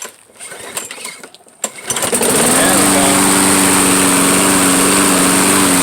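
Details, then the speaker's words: Troy-Bilt lawnmower, neglected and left sitting all winter, started on old fuel after a few rattling pulls: catches and settles into a smooth, steady, even-pitched drone. Runs properly. "all right well at least you know it works now oh that's great"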